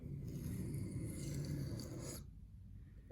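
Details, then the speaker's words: Reed knife sharpened on a 1500-grit stone with an angle guide: rough, rasping, uneven scrape rather than a smooth, consistent hiss, suggesting the angle is too low. "You can also hear that the grinding sound isn't as smooth and consistent at this angle, so it probably means it's too low."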